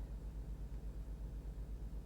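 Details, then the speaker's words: 2015 Range Rover L494 4.4 SDV8 Autobiography, 77,777 miles, with suspension in extended mode: the air suspension compressor gives a low, quiet hum with a steady fast pulse as the height goes up and down slightly; the owner thinks it is a common compressor issue. "So it goes up and down slightly, but I think it's quite a common thing on these with the air compressors."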